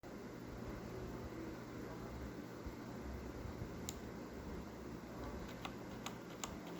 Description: corsair k65 clicking noise, so bad it seems like a blue switch..... those are cherry reds